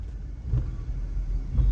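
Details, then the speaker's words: Volkswagen Virtus GT driven over a rumble strip after repair: deep even road rumble with two soft swells, no clunk; the knock previously heard over bumps and during start-stop is now gone. "उस पर भी कोई आवाज़ नहीं आई, जो कि पहले आ रही थी हल्के से कट पे भी, गड्ढे पे भी कट आवाज़ आ रही थी, या स्टार्ट स्टॉप होते हुए तो बहुत एविडेंटली आ रही थी।"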